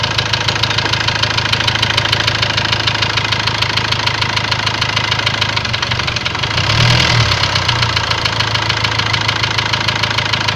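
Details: Ford Transit diesel idling with a sharp, regular metallic knock about three per second over the clatter; scan shows high-pressure calibration data, cylinder balance fault and a leaking injector, plus loss of revs, knock cause unconfirmed.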